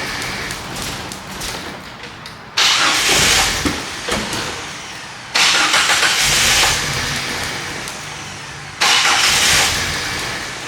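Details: 1998 Jeep Wrangler 4.0L inline-six, died at a stoplight then crank-no-start, spark and injector signal present: three hard cranking bursts seconds apart, each catching briefly then dying.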